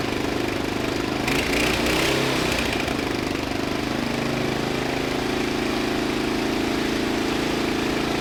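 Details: 2000 Murray LT1000 lowered riding mower, new exhaust, jump-started with starting fluid: catches, settles into fast steady drone never dropping to slow idle; throttle return holding high RPM, idle set screw ineffective.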